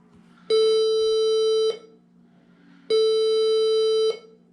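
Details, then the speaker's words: HP 20-c434 all-in-one PC at power-on after an 8GB RAM upgrade: two long steady high beeps about a second each, repeating every couple of seconds; the owner suspects the new RAM was not seated properly, not confirmed. "that's a new sound doesn't sound good does it all right let's turn this off try to reboot again"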